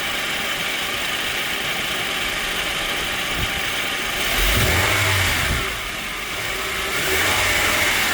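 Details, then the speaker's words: 2005-2023 Toyota Tacoma engine running with a rough shaking chatter that worsens when the AC compressor engages, caused by a worn serpentine belt tensioner (located under the alternator), before replacement. "The issue that I was having it was shaking really bad. Especially once the air conditioning compressor kicked in, that's where you hear it. You hear it shaking."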